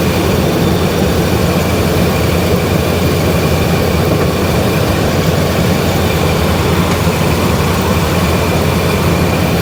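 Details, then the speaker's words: V8 truck with shot rings and choppy cam, cold day, running dead rich and burning oil, revs brought up slightly: steady deep even rumble, no stumble or miss, sounds firing on all eight; normal running. "See, it sounds like it's firing on all eight cylinders, even though it's dead rich and burning all kinds of oil. Yeah, there you go. It's running perfect."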